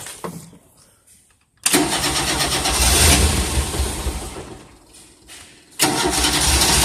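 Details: 1988 Tennant 255 Series 2: two bursts of starter cranking with uneven chugging that never catch; cranks but won't start, fuel pump sounds quiet and low fuel suspected, cause unconfirmed.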